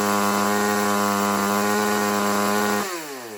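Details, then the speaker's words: Craftsman ST5200 chainsaw after tuning, low and high jets each turned about half a turn counterclockwise for more power: steady, even two-stroke scream held at full throttle, then a clean pitch drop on trigger release; runs clean and healthy, as the owner wants it. "And that's how I want it to run. But I'll start it up again and show you the way how I like it to run to run that way at full RPM speed."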